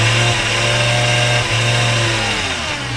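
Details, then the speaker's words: Neglected V10 BMW after maintenance including new spark plugs, sounding better but with some unexplained noises: the engine revs with a strong low drone but the car only creeps about 3 ft, struggling as if slipping. Owner suspects low fluid. "it moves it it does move a little bit but it just it's like having trouble what what is that what's going on"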